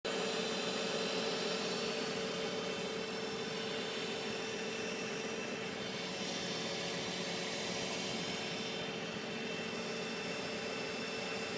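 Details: Infiniti G35: a steady even-pitched whine with a low hum underneath around the running engine; cause unknown.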